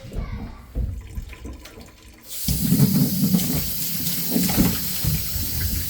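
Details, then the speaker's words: Townhouse laundry sink drain after clearing below-floor blockage with Milwaukee M12 and 5/16 drophead cable through cut drain vent: quiet start, then strong steady rush and gurgle of water running freely down the pipe; normal drain flow. "That's the sound we wanted to hear. You guys can hear it going down"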